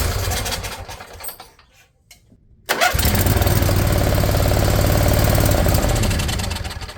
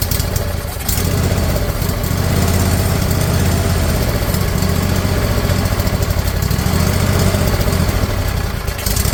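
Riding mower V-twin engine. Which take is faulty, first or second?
first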